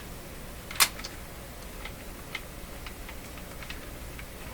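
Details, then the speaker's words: Linn Classik 115 CD mechanism, drawer belt replaced with a rubber band: one sharp click then faint scattered ticks as disc is lifted; suspected dry sliding part or magnetic clamp plate grabbing, not confirmed. "something is catching the lubrication issue looks like looks like not much lubrication in this sliding part you can hear it a little tick right there"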